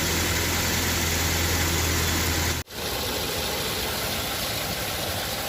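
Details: Nissan Navarra being repaired for misfire code P0304: steady, even idle with no stumble or missed beats; the engine sounds smooth and healthy.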